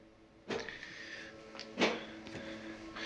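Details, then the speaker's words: Citroën Berlingo with a replacement gearbox, ignition on and engine off, on a battery support unit: three short whirring clunks about a second apart as the actuator steps through gear selections during clutch position learning. Actuator cycling during learning. "you can hear the gearbox going through it selections uh to do the do the programming it's learning basically it"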